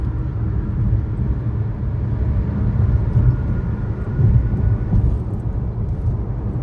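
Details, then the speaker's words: 2013 Chevrolet Sonic driving on a smooth road: steady low growl from a bad left front wheel bearing, passenger-side bearing new; fix is replacing the front wheel bearing. "in the second clip you will hear the sound of a bad left wheel bearing while the passenger side bearing is new"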